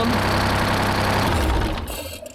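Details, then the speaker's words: 1975 Peterbilt 359, Detroit 12V71 V12 two-stroke diesel, fires right up but entire right bank stays cold: loud, uneven clattering idle that dies away; one bank not firing from low fuel pressure. "I've never had one with like this this cylinder be this Bank be this cold before like the entire Bank it makes no sense"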